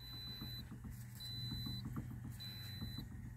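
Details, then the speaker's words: 2009 Pontiac Vibe AWD 2.4: quick, dull knocks as the steering wheel is wiggled, from loose U-joints in the secondary steering intermediate shaft, a common fault on these vehicles; mainly noise, not exactly a safety issue. "so if you listen carefully you'll be able to hear the the steering wheel the knocking noise that's for the intermediate shaft"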